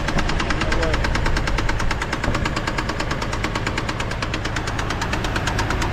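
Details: GMC Envoy: steady idle with a light, quick tick about three per second, seeming to come from the top end rather than the bottom; owner unsure, doubts a thrown rod, plans to pull the valve cover.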